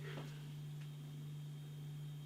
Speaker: blimey the fridge is kicked in and it's like a it's almost as loud as a washing machine